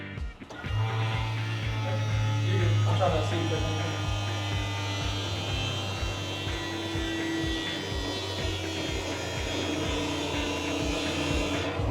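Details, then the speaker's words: Electric fuel pump on an 800hp 1931 Ford Model A build priming the newly replaced fuel system before the first start attempt: steady low hum with an even pulse, no strain; the system pressurized without trouble, normal priming. "the fuel system pressurized without a hitch and with that done sounds like it's time for the final once over before we attempt to fire this thing up"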